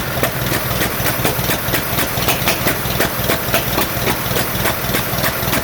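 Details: 1947 Farmall M tractor at idle during first start after rebuild, misfiring: uneven, lumpy idle with irregular skipping pulses on only two cylinders, carburetor popping, no power; cause later found to be reversed plug wires.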